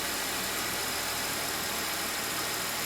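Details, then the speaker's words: Mercedes E350 after valve cover gasket replacement (cover bolts torqued to 10 ft-lb), engine running while the engine bay is checked for leaks: quiet, even idle with a soft steady hiss over a faint hum, no ticking or misses; everything dry, no leaks. "Alright guys, as you can hear, the engine is running. I'm looking around the engine bay to see if we have any leaks."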